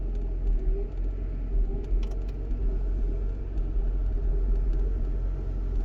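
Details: Mercedes W140 idling roughly after an hour of driving, fully warm: deep steady rumble with a slight uneven lope underneath and no clear knock. Rough idle when hot.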